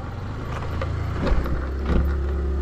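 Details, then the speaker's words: Motorstar Easyride Legend 125 FI scooter on a night test ride: short loose clatters over a steady engine and road drone at speed, coming from a rattling top box; shocks feel softer, possibly from reduced tire pressure. "Yun, yung kalampag na yun, top box yun. Ang kulit ko, no? Top box yung, yung makalampag."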